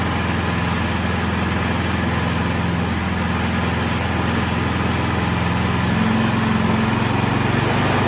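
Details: Troy-Bilt 2665 snow blower (model 31AM6CP3723) after a carburetor rebuild, water found in the old fuel, choke off at half throttle: the small engine holds a steady, buzzy idle, rising slightly near the end with no stumbling, running evenly.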